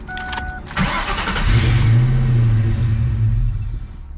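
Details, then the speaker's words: Ford Mustang just after rewiring a custom dash connector: the engine cranks, catches, runs a steady low rumble for about three seconds, then fades and stalls; a fuel pump connector left unplugged is suspected, and reconnecting it fixed the problem. "no right something's wrong here because it's dying this is worse"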